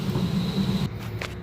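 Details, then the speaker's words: Rheem gas pack blower fan jumpered on for testing, B55 belt; steady low blower hum with a thin constant whistle from air squeezing through the tight filter bank, no belt squeal or slap; normal blower operation. "And so that's not making any sound. Sounds good. The whistling sound you hear is the air coming through here, through the tight spot, through the filter bank."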